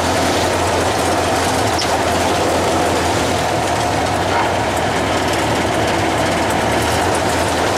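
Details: Traditional hot rod "Doris", first start after manifolds and radiator were refitted and water and oil added: a busy, steady run holding one speed with no stumble or heavy knock; the engine fires evenly.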